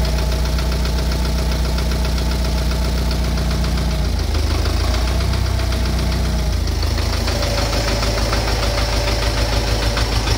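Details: Idling engine with a fairly regular light knock at roughly three a second riding over the idle; engine knock at idle, source unclear.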